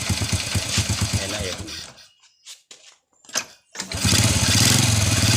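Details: First-generation Honda Revo carburetted motorcycle that is hard to start and dies when throttled: engine runs briefly with rough uneven beat, dies, several failed restarts; ignition checked normal, plug black and dry; blocked carburettor pilot jet.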